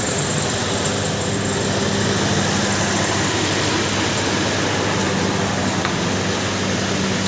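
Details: Toyota idling after a no-crank, no-start fault was fixed: smooth, even idle with a steady hum, no misses, knocks or starter noise; running normally.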